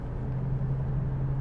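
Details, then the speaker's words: 2001 Lexus LS430 with 628,000 miles on a road drive, transmission still cold: steady low drone under road rumble that changes when swerving right; a worn left rear wheel bearing. "hear that wheel bearing noise swerve a little bit Yeah you turn right so it must be a left rear"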